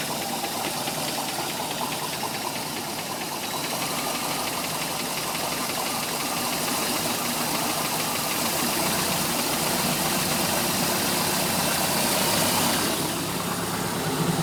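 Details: MerCruiser 3.7 marine engine: sharp light ticks about four per second over a smooth idle, present from idle to 1000 rpm and then gone. Engine starts and runs fine; cause unknown.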